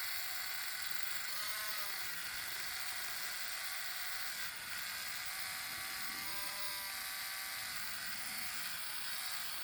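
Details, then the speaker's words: Pennsylvania Railroad doodlebug model (Spectrum) before its DCC install, wheels being cleaned with a Bright Boy while moving. A fast, high-pitched buzzy machine-gun rattle over the small motor's whine is gear chatter. The owner fears the gear could slip. "I don't particularly hate it as much as others, but I still don't like it because it could cause the gear to slip, which would have me reopen the entire drive. Just get that ready. Oh yeah, now you can definitely hear the machine gun"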